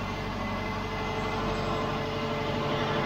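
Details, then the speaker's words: 2005 Subaru Outback, 212,000 miles, first start of the freshly rebuilt engine after oil priming, before coolant and warm-up: soft even hum with faint steady whir, no knocks or ticks, very quiet smooth idle. "nice I can barely hear it it's so quiet"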